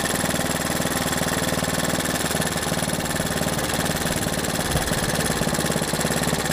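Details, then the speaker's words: Honda 110 three-wheeler, single cylinder: ignition timing retarded on the fly, idle drops and engine stalls; owner suspects stretched timing chain, so timing set fully advanced. "Okay, that slowed her down. You heard the idle come down. Oh, it just died. So yeah, we're going to go all the way advanced and just leave it there."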